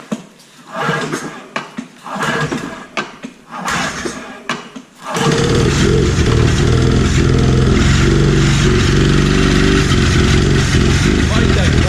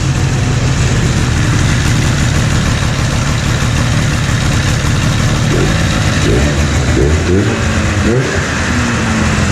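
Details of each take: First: 1997 Ski-Doo Formula 500cc two-stroke snowmobile, sat 5+ years with oil injection hooked up; carbs cleaned, new intake flanges, primed, ether used: several sputtering pulls before it catches, then a lumpy run; crankcase flooded with oil, plugs suspected oil-loaded. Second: 1997 Ski-Doo Formula 500cc two-stroke snowmobile idling indoors after sitting 5+ years, with carbs cleaned and new intake flanges; hot grips and thumb warmer work. An even, steady burble with no misses or knocks; idling well.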